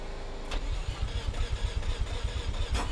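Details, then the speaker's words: Mazda FC RX-7 rotary, after fuel tank reconditioning, reversing swapped fuel lines and priming. It cranks and catches quickly, then settles into a loud, lumpy but steady idle with even low pulses: normal start and idle. "that sounds better there she goes on and off"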